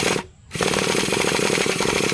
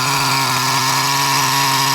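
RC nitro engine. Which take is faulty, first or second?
first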